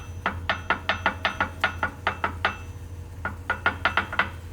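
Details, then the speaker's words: Ford 4000 row crop tractor drop box install, axle housing before fitting bottom cover plate, bolts torqued to 45 with bearing preload shim pack; axle rocked giving metallic clanks, normal gear backlash showing axle moves freely. "But before you do that, just go ahead and make sure your axle does move. That clanging is the backlash in the gear. If you can hear that, your axle moves."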